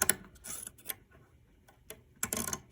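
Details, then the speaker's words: 1927 Radiola radio under restoration: scratchy rasping bursts come and go as the volume control knob is turned by hand, with quiet gaps; volume control measured completely open, track worn out; replacement with a regular potentiometer planned. "Well, I measured the volume control, and no surprise, it's completely open. Well, just listen to it."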